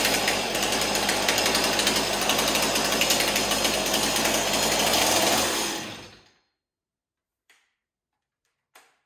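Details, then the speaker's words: Stihl 026 chainsaw after scored piston and cylinder replaced with MS-260 parts plus a new decompression valve, 45:1 ethanol-free fuel: crisp, even high-revving buzz with steady rapid firing for about six seconds before switch-off; runs healthy after repair. "wow that's pretty promising isn't it i flicked the uh the switch way too high up there i actually shut the engine off"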